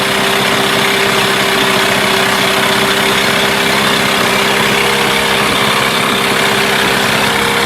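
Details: Mercury 8HP two-stroke outboard, unknown storage time, running in a water tub, in gear: even steady buzz at constant pitch, no misses or knocks; runs smoothly with water pumping clear.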